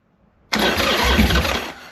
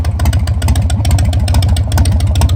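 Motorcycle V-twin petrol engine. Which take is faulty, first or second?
first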